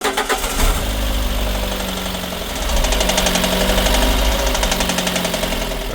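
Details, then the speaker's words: Lada Granta, 236,000 km, previously overhauled: a heavy, rapid metallic knock that swells as revs rise, which the customer reported as a knock at revs. The engine was torn down and a broken piston pin was found. "гранта виз с пробегом 236.000 жалобы клиента. Стук двигателя на оборотах."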